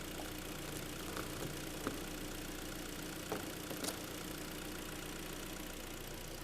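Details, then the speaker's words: Korean G4KD engine just overhauled, first start on fresh oil with antifreeze topped up, still cold and bedding in, expected to quieten once warm: steady, even idle, no whistles or squeals, faint background clicks; normal idle. "Все сейчас никаких свистов писков мотор протирается будет все работать тише и тише нагреется будет вообще очень хорошо работать"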